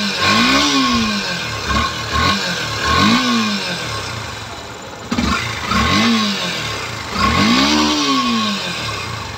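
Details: Yamaha FZS version 3 motorcycle after repair for an engine sound problem: crisp blips rise and fall smoothly and settle cleanly, no knocks or rattles; engine sounds healthy.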